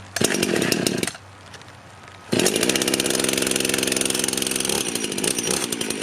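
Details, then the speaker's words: Rebuilt Husqvarna 51 chainsaw: idles, then blips to a burbly, slightly blubbery high speed that never cleans up; owner thinks it runs a bit rich, not confirmed. "I've got my screwdriver here we're going to go ahead and tune on it a little bit get it running better seems like it's running a bit Rich so choke it up"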